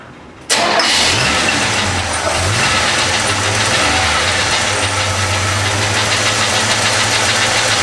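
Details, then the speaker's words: Chevy C10 pickup (1973-87) after full universal wiring harness replacement, electric choke, first start: catches at once and settles into a steady, even idle; runs normally, though belts squeak slightly and a rocker arm on cylinder 5 or 6 needs adjusting. "well it seems as everything is working actually I have to admit I think it's running better than it did before it needs a little bit of tune-up"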